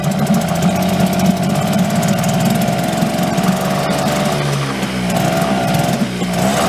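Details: Late-1990s Mercury 5 hp two-stroke outboard, repaired, running in a barrel with the cover on after a flooded start on choke cleared. It gives a steady buzz with a smooth, even pitch and only slight speed wander, running healthily.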